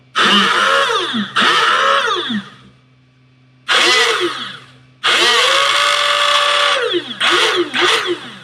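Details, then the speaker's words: 3D-printed Nerf Gryphon blaster with Valkyrie 3s motors and Worker smooth flywheels, first rev after wiring it up. Bursts of high motor whine with a scratchy rasp: a flywheel rubbing its housing, slightly too tight, but it still turns by thumb so it isn't fused to the plastic. "Alright, it sounds like something is rubbing in here. If I put my thumb on the wheel, I'm able to turn it, which means that it's not fusing to the plastic."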